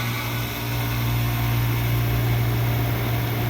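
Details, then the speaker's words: Old Carrier R22 condenser running once power reaches it, after trouble traced to a neglected, inaccessible air handler and an old mercury thermostat: steady, smooth hum with even fan rush and no clatter or buzz; normal running with a temperature difference. "That sounds pretty good. So I got power."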